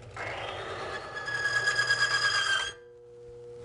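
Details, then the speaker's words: Lubricity tester running Mobil 1 fully synthetic oil: steady high whir from the spinning roller grows rougher as pressure is applied, then cuts out abruptly when the oil film fails at about 42 ft-lb; load failure. "that came in at about 42 foot pounds of pressure okay now is that good bad indifferent"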